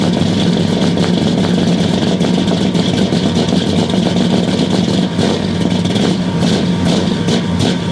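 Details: 1969 Buick Special Deluxe, 430 big-block V8 with big cam, first start after sitting over a year; loud, lumpy, uneven idle with a choppy exhaust beat, far too rich because the choke was left mechanically closed all the way.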